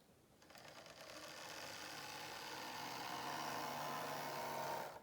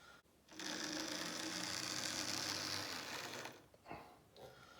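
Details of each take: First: Model locomotive running on temporary DC flexi-track: smooth, steady whirring rising in two even runs with a pause, no stutter or grinding. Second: Old, battered Lima class 47 model locomotive in Virgin Trains livery running on DC: high buzzing whirr with a rough, gritty edge, quite noisy, doesn't run very well.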